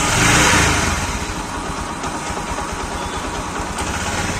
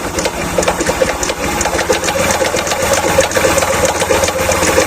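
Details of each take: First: Bajaj Platina single-cylinder motorcycle after repair of engine knocking (camshaft/rocker checked; earlier blamed on crank bearing): self-start, brief rev then even, steady idle with no knocking; noise fully gone, normal idle. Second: Bajaj Platina motorcycle idling: fast, loud clattering knock through the engine like a sewing machine; another mechanic diagnosed a broken crank bearing, not yet confirmed; engine to be opened, camshaft checked.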